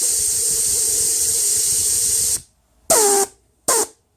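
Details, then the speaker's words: VW 01P/01M transmission on/off solenoid bench-tested at 10.5 V with 65 psi air: a long steady hiss, then short bursts, while energized. It leaks intermittently, possibly because the internal ball lands on a worn spot, so it passed earlier tests. "there we go you can hear that leaking that's supplied the solenoid is on and you can hear it leaking"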